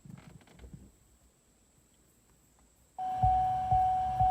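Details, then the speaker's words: C6 Corvette with a newly installed aftermarket radio, door open: a steady high chime pinging about twice a second over hiss. The static came from the blue amp turn-on wires not being connected together. "You can hear the loud pinging. You can also hear the static, maybe. But when I close the door, pinging stops, and so does the radio."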